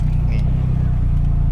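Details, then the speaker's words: Daihatsu Mira after faulty fuel injector repair, idle with AC on, formerly shook and stumbled with AC and jerked on gear changes; low, even idle rumble with regular firing pulses, no stumble; normal idle with AC on. "ปกติแล้วคันนี้ปกติเกียร์นี่เปลี่ยนมันจะกระตุกนะนี่อันนี้ไม่กระตุกแล้วนะครับนี่ครับแล้วก็อันนี้เปิดแอร์อยู่นะ"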